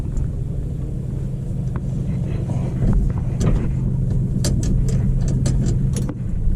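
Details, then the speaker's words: 1977 Dodge W200 with a 360 V8, started after a battery was fitted: deep, even low rumble with a steady firing beat and no knocks or misses, running normally. "does okay so she still [Music] starts and not of the wires I I touch mess with any of that that's good sounds good for an old straight fight 360"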